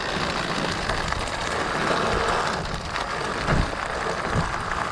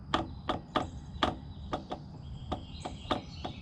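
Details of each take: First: Riding a bumpy trail with a Pletscher Esge kickstand retracted and a stick wedged in to stop the lever arm jiggling. Only tire crunch and trail noise, no rattle or clunk; kickstand now silent. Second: Pletscher Esge bicycle kickstand in the retracted position over bumpy trail; sharp metallic clunks, two or three a second, unevenly spaced, as the loose lever arm jiggles up and down.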